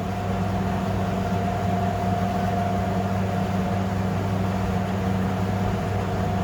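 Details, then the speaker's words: Fisher and Paykel clothes dryer after main motor capacitor replacement, drum running: smooth, even hum with no squeal or chirp from the idlers; running cleanly and normally. "But so far we're not getting any squeaky sounds. That sounds really good."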